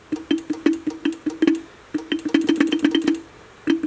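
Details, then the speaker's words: Mitsuba horn from a 1965 Honda S600 on a 12 V bench supply, top cover just refitted during restoration: short dull clicks with a faint low buzz in uneven bursts, never a full note. It seems to pull the magnet down; a sliding piece is suspected. "kind of doing it it sounds like it's pulling the magnet down"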